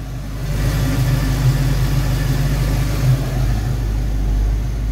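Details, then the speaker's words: 1990 Ford Mustang GT Foxbody V8 idling with new Alloyworks 4-core radiator; electric fans kick on around 185–190°F, halfway on gauge, adding constant whooshing air rush without rattle or rub. Normal electric cooling fan operation. "so yeah when the fans kick on I will uh turn this thing back on so until then hold up hold tight it'll only be a second for you guys all right fans finally kicked on"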